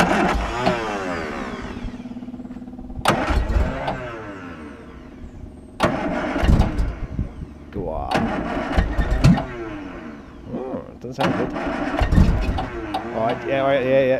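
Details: Classic Mini spare engine, first start attempts after a seized clutch arm and plunger was investigated. It catches in uneven bursts and stumbles between throttle blips: rough, reluctant running after long storage.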